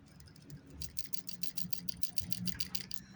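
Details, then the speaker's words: Original factory 2006 PCV valve from a Toyota Camry 1MZ-FE 3.0L, about 35,000 km, shaken by hand: quick loose clicking rattle as the check ball moves freely; valve still functioning, replacement judged unnecessary. "That is the ball valve inside there that is still functioning. Do I need to replace it? Does it need to be replaced? I'm going to say no, looking at the condition of this thing."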